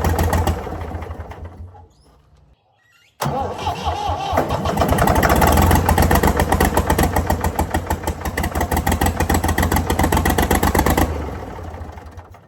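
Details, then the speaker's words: Previously seized Ford 4000 diesel tractor cranks, catches on starting spray and chugs with a heavy rhythmic beat, then winds down and stops; owner suspects throttle and air, possible diesel leak. "Okay. So, that's definitely not running on a start for that extended period of time. And it's got to do with throttle and air."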